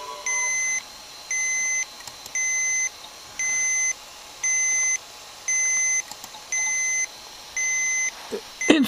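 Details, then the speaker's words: Toshiba 305CDS laptop running a Windows 95 game install: eight short high beeps, about one a second, over a quiet room; the low-battery warning sounding just before the battery dies and the laptop must shut down. "okay I know what's this you should charge your battery unbelievable the battery was just"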